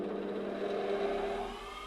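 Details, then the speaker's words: Large bench grinder with an about 2 hp mains motor spinning up to a smooth, steady whir with an even hum, no massive vibrations or rattle; running normally. "you can hear can you hear the there's no massive vibrations much better quality built piece of kit"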